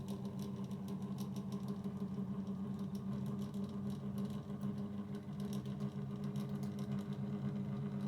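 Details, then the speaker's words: 2000s Rainbow 9-inch desk fan from a charity shop, run on low speed oscillating: steady low motor hum with a rough, buzzy edge and faint irregular clatter; noisy motor, spins down smoothly, cause unconfirmed, lubrication planned. "So yeah, so it doesn't work particularly well. I was just checking if it had a difference in noise level of the motor."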